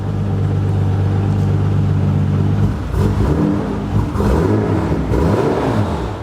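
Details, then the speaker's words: MK4 R32 twin turbo, first start after fitting correct pedal linked to ECU: steady idle, much better but not perfect, then after a short rev the engine speed wanders up and down and won't settle; erratic idle after revving. "now it's not perfect but it's a lot lot better listen to that happy days now if I give it a little rev it does ID or funny again but"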